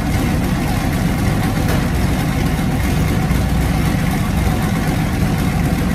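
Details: Small-block Chevy turbo truck V8 after cam swap to a Comp 280HR hydraulic roller mild cam: loud even idle with steady low rumble, no knocks or ticks; runs clean.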